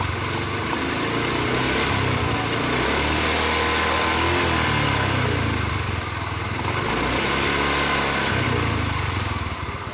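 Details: Yamaha Mio i 125 scooter after fixing noisy CVT transmission gear bearings: engine running steadily with an even putter, no whine or grinding from the transmission.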